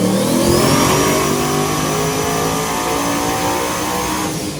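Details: Ruby, running Leroy's old V8 after 13 months, on the dyno during a full pull: high-revving V8 climbing steadily in pitch with a ragged, uneven edge, breaking up under load; about 1,000 horsepower made, more cleanup needed.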